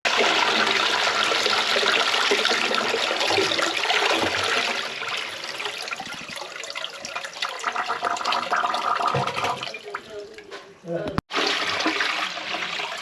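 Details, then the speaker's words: Toilet on a blind connection, flushed after jetting cleared the blockage through to the shower. Strong rushing flush that drains away quickly with a short gurgle at the end. The toilet empties freely and sounds clear. "so we think the toilet is on a blind connection but as you'll see the toilet's flushing"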